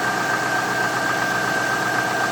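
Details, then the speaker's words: 1998 Cadillac Deville project after fuel pump install, thermostat change and radiator flush, battery still low: steady idle with faint tapping under a constant high whine, light knock of unknown origin; cleaner to be added. "So what we've done so far, a little bit of a knock in there, so we're gonna put some cleaner in there."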